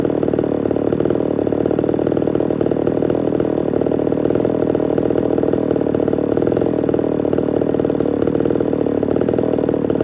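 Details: Ported Homelite Super XL-130 chainsaw on its final test run after the loose, self-turning idle screw was sorted: steady, even, rich and slightly blubbery two-stroke idle, no surging or dying out; normal idle, oil and running good.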